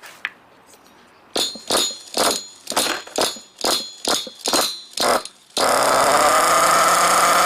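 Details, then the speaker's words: 2021 HPI Savage X 4.6cc nitro RC truck (GT-6), first start with factory-set high, low and idle screws and air filter on: sharp pull-start bursts, then it catches and holds a high, steady buzzing idle; normal idle. "Oh, the sweet sound of that nitro. Bring back memories, I can tell you that much."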